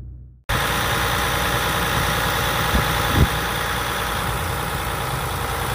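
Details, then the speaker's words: 2020 Ram 1500 EcoDiesel Gen 3 Bighorn idling: steady, even diesel clatter with a fast consistent knock rhythm and no misses. Normal healthy diesel idle. "I mean they can just barely hear it now obviously on the outside you've got that typical diesel clatter which I personally love some people don't like it I love it I wish it had more of it honestly"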